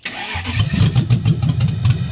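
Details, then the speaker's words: Racecar first start in 5 years after owner's own ECU harness wiring, with manifolds on: cranking pulses start firing and pick up unevenly, flames and sparks from exhaust; engine trying to catch, not running clean yet. "She's getting there, man. She wants to go."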